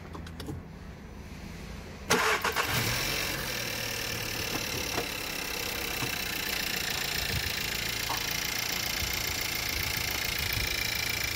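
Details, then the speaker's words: Used contract 2016 Skoda Octavia A7 1.4 16V turbo CZDA engine, 45,715 miles, oil and coolant clean, compression within spec; cranks briefly, catches cleanly in about two seconds, settles to steady even idle with no knocks or misses, clean exhaust: healthy engine. "двигатель. Под газов. Выхлоп тоже чистый."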